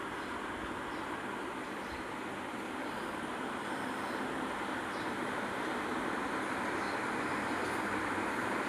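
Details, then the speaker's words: Washing machine after replacing the drum bearing and oil seal (earlier a loud drum noise): smooth, steady whoosh of the drum turning with no rattles or knocks; it now runs quietly. "இப்ப service பண்ணிட்டு bearing oil சில்லு எல்லாம் மாத்திட்டு இப்ப சைலெண்டா running ஆகுது. இப்ப பாருங்க ஒரு வாய்ஸ் ஒரு சவுண்டு கூட இல்ல. ஸ்மூத்தா ஓடுது."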